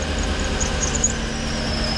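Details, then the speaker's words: Chevy Tahoe at idle: thin high chirping squeal that comes and goes, then steadies; serpentine belt squeal, owner suspects the non-factory belt is too tight. "Actually, I need to change that belt. That belt is a little tighter than it's supposed to be. I got the factory belt to go back on it, but it is a numbered belt that's supposed to go on this, and then you won't hear the squeal."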